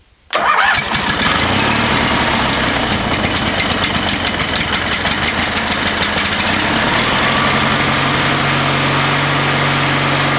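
Brief crank, then the little single catches and settles into a steady, even idle with no misses or knocks.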